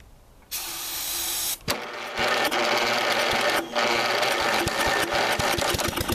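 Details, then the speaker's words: 1985 Lawn Chief mower, 11 hp Briggs & Stratton, cranked after starter fluid and a new Champion plug: uneven, labored pulses about three a second, then it hangs up partway round, with knocking inside. Owner suspects the piston is topping out on something or a broken internal part. "well guys as you saw just recently it was kicking over but now when you go to turn it it makes it that far and then won't make it any further and there's definitely something knocking inside the engine"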